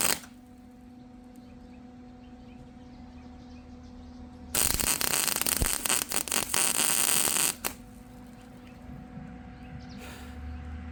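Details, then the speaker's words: MIG welding expanded metal decking onto a 2017 5x8 utility trailer: harsh, uneven arc crackle that sputters instead of frying smoothly because the wire can't burn through the trailer's paint; poor penetration. "Yeah, that one's ugly because I couldn't burn through the paint."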